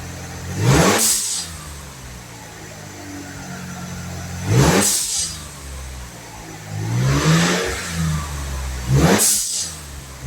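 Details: 1997 Mitsubishi Galant VR4 after swapping the plastic recirculating valve for a GFB hybrid blow-off valve: three clean rev blips, each followed by a quick airy whoosh as the throttle shuts, so the valve vents properly.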